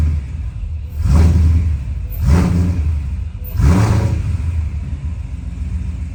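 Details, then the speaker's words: Boss-built V8 hot rod, after installing CNC-ported Boss heads, Boss Racing cams, MMR oil pump gears, ARP bolts and new chains and guides. Deep steady rumble with three clean throttle blips; sounds about the same as before, healthy. "It sounds about the same from my understanding, but the point is it's done."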